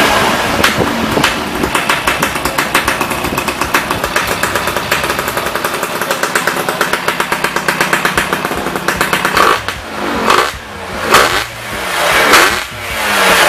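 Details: Yamaha Y110SS two-stroke after repair of worn cylinder and carburetor cleaning: crisp, fairly steady idle popping, then a few throttle blips rising and falling cleanly; idle now normal.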